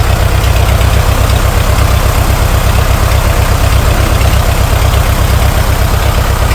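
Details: International TD-6 crawler, revived after 11 years sitting rusted stuck, running on diesel after gas start, following the #4 cylinder misfire fix. Deep, steady chug with even firing pulses, no misses or knocks: normal idle.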